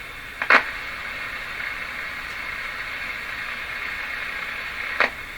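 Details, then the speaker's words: Philco Model 24T five-tube radio during antenna tests: steady hiss with sharp crackles and no station audible, local electrical interference swamping the weak signal in this antenna position. "I think in this position the noise is wiping out what little signal there is in here"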